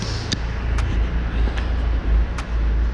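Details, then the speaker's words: Old BMW 320d with a glow plug system fault, after the glow plugs and module were replaced: low, uneven diesel idle that dips and surges with stumbles. It is still misfiring and hunting; a glow plug area was soaking and it smokes. "think number three you hear the car still missing still hunting on the"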